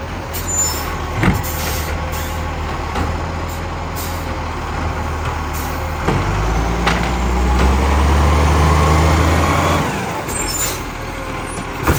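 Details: Garbage truck from 2010 with a severe exhaust leak: heavy diesel chuffs with a rapid, fairly even puffing, about four per second, under air-brake hiss.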